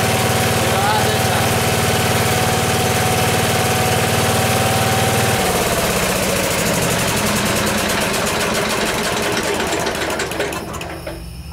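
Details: Small engine, carburetor still slightly out of adjustment and being tuned, started without choke: steady, even putter that settles smoothly and keeps running cleanly; sounds healthy.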